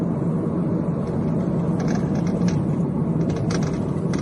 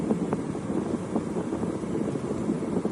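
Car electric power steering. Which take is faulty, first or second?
first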